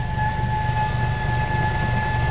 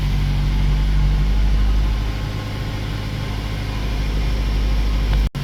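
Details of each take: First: 2008 Mazda 3, engine started, heard from underneath the car: a steady, thin high whine over the low engine rumble that stops when the tank is struck. Fuel pump whine. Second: 2008 Mazda 3 petrol idling after fuel pump module replacement: smooth steady low hum, the earlier fuel pump whine from the tank gone.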